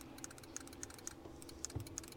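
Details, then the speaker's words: Winch on a 1978 Ford F-150 4x4 right after installing a cheap wireless remote kit: sharp dry clicks about three a second, no motor hum, and the winch never runs; owner blames the remote and is returning it. "Can you hear that clicking? That's all I'm getting. Looks like I got foiled by the uh the cheap Amazon wireless remote."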